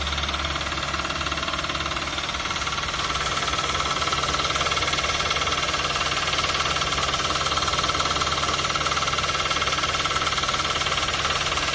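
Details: 2012 Toyota Avanza/Daihatsu Xenia, 1.5 L 3SZ-VE I4 petrol, idling: steady, even knock about four a second; persists with serpentine/fan belt removed, so internal engine knock.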